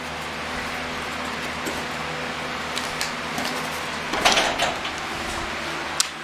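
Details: Overhead garage door opener raises the door with a steady motor hum and light clatters, no grinding or slipping, after a repair that gave the mechanism a fresh bite; it works properly.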